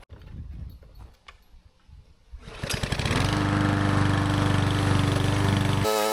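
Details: Small-engine mower after carburetor cleaning, fresh oil: engine catches after a couple of seconds, then settles into a steady, even run with a constant tone; runs properly.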